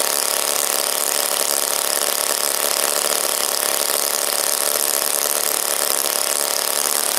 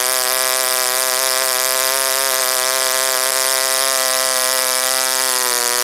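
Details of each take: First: OS Wankel rotary, 4th tank, on 5% Omega fuel with extra castor, a 10x4 APC prop, a crimped brass header and the needle about 2–2.5 turns open: high raspy scream sags and dies. Leaning killed it, though the manual calls this rich; owner suspects overheating. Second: OS Wankel rotary on 5% Omega fuel with extra castor and a 10x4 APC prop: high, steady, even idle whine with no surging or misses, idling well. Owner had adjusted the air bleed idle screw, possibly setting the idle too low.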